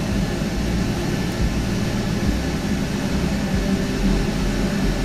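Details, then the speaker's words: 2013 Kia Ceed GT with replacement engine, cold start after another attempted fix: rough uneven idle, low thumping rhythm stumbling irregularly; misfire persists, cause still unknown. "still misfiring [Music] what can it be I I literally do not understand what it can"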